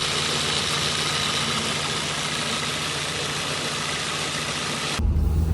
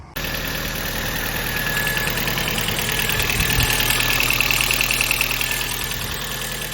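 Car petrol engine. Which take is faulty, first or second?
second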